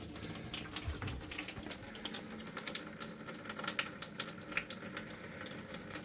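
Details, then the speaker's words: 1969 beach shack winterizing: compressed air at 20–40 psi pushes the remaining water through the open kitchen faucet into the sink. Irregular spitting and gurgling splashes, normal during the blow-out. "That's air pushing the water out of the system."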